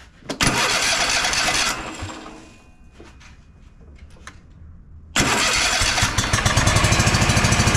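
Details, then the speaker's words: Kohler KT745 (7000 series) twin on Bad Boy zero-turn mower: cranks, catches, runs rough, fades out, restarts stumbling; fuel, compression and spark good, misfire traced to failing ignition coils. "[Music] happens no change that tells us even though both of these cylinders are firing independently we're getting spark we're getting compression we're getting good fuel and it's still not running right we've got a problem with our ignition coils"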